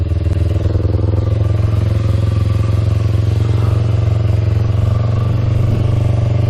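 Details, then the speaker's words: 2000 Kawasaki Ninja 250 with Yoshimura pipes, just started (finicky start button, fuel on reserve) and warming up before a ride: steady even low burble at constant idle speed, no knocks or misses; normal idle. "Let her warm up for a bit. Sounds pretty good now."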